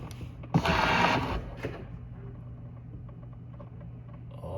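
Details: Tesla Model S door handle motor after repair (extra wire added, reconnected to harness): short whirr under a second on unlocking, then stops cleanly instead of running on; door handle motor now working normally.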